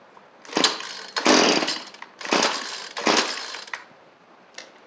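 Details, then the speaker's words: Cheap two-stroke string trimmer after new carburettor and fuel lines: revs in four uneven, ragged bursts, never holding clean top speed; high-speed mixture suspected too lean or too rich, adjustment screws far out. "We're not getting a lot of gas coming on the high side, I think. Or maybe too much. These things are out pretty far."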